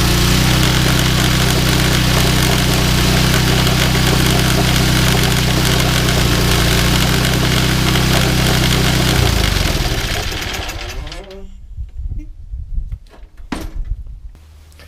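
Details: Yardman 21" snowblower 31A-285-452, 5 hp Tecumseh, sat unused for years, cold start after fitting a 4L350 belt: small single-cylinder engine idling evenly at a steady beat for several seconds, then shut down. Normal idle.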